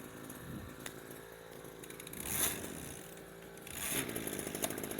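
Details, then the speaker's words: New, unused backpack two-stroke sprayer (model 767) test-started before shipping: steady buzz rising briefly twice as throttle is blipped, then a clean, even run; normal running. "ติดทุกตัวนะครับดึงคันเร่งทุกตัวจะลองน้ำทั้งหมดเลยนะครับ"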